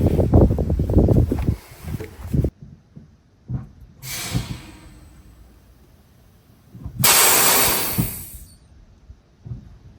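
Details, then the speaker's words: KamAZ fire truck after replacing two air brake chambers and tightening a loose air pipe: short sharp bursts of air as brakes apply and release, no steady hiss; handbrake released, no leaks. "Ale w tej chwili wszystko jest w porządku. Hamulec ręczny jest zwolniony i nie ma żadnych wycieków."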